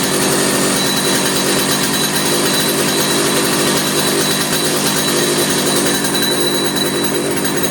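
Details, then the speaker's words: 50-year-old Stihl 056 AV two-stroke chainsaw, 20-plus-inch bar, long unused, first run after restoration, started with brake cleaner: high steady buzz, no cutting out or stumbling, a little smoky; running fine, tune-up planned. "there you have it so you can see that I just encourage it with a that brake cleaner um but it wasn't cutting out it was running fine little Smokey now which is good"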